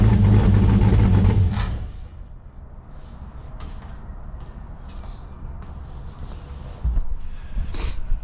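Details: 1955 Chevrolet Bel Air four-door with Gen III LS V8 (4.8/5.3/6.0) running a Comp Stage 1 Thumpr hydraulic roller cam, changed intake and headers, not yet tuned: deep, loping V8 idle with uneven, choppy low thump; normal healthy cam idle.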